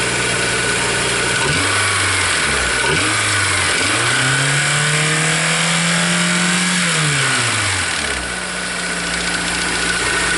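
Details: 2003 Honda S2000, over 100k miles, misfire in all four cylinders: rhythmic knocking at idle from front of engine, more apparent at idle, not following RPM; owner suspected timing chain, tensioner swap didn't fix it.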